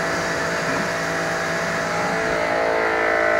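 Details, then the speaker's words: New REAIM pressure washer, first test run after assembly, plugged in and switched on: even, constant motor-and-pump drone, described as loud, with no surging, knocking or dropouts; normal running. "ayan yung tunog niya. Medyo madilim lang. Malakas siya."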